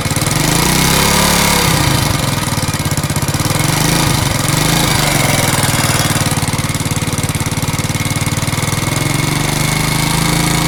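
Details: Alpha moped engine with a new piston kit, valves not leaking, magneto tight and clutch fine: hard rhythmic knock about four times a second over the engine note; cause of the knock unknown.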